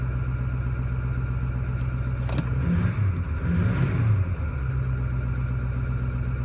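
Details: 2008 Ford 6.4 diesel, deleted with SCT tuning, idles smooth at start then misses and surges with unburnt-fuel smoke until warm. It has cyl 3 contribution/misfire and glow plug codes, and the cyl 3 injector was replaced with a reman with no change. Cause is unknown.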